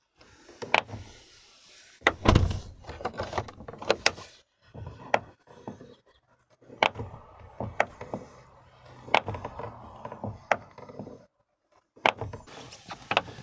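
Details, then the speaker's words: Car door check strap creaked until coated with laundry soap in autumn; rechecked in March after winter, the soap is still there. The door swings and latches with clean clunks and clicks, with no creak or squeal. "в общем займу это мыло не отлетела вот послушайте слушайте звук такой у двери"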